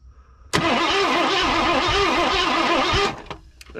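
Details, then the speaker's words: 1984 Ford Thunderbird 5.0 V8 sitting 10-12+ years: steady starter cranking about two and a half seconds, engine never fires; no fuel pressure, no fuel delivery, crank no start. "all right that answers a lot of our questions have no fuel coming so car running and starting all by itself is uh nolan void not gonna happen"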